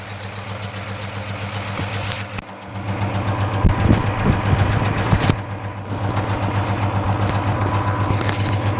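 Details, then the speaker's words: Dodge Charger Hemi V8 idling, drive-by-wire: deep dull knock low in engine about four beats a second, bottom-end rod knock not extremely loud; MDS solenoids won't fix it, oil pan removal planned. "when you rev this thing up you can hear that bottom in not extremely loud"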